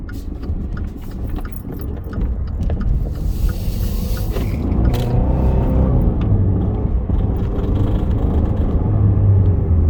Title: When I accelerate too fast it studders and makes clicking sound.